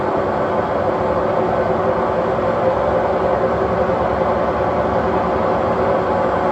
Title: very bad bearings